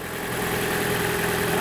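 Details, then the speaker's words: Gasoline Toyota Corolla donor engine idling in a car that took a side impact with the engine undamaged, before being swapped into another Corolla: steady, even idle with no knocks, ticks or misses; everything working fine. "ah então tá tudo funcionando aqui marcelo tudo funcionando beleza"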